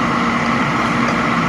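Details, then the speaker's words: Oil furnace restarted after running out of heating oil: once the bleed is closed and air purged from the line it fires; loud, steady roar with even rumble, no sputter or pulsing, burner running smoothly. "Alright, you see how, did you hear it? As soon as I closed it, the furnace fired?"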